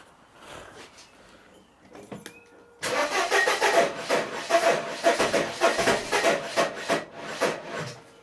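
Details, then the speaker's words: 1994 Mercedes W202 C180 with wiring problems, smelling of fuel but no spark: the starter cranks in uneven bursts about three a second without catching, and the owner feels something is locking the engine; a misseated coil pack was later found. "I'm gonna crank it now. Definitely no spark and something's locking the engine."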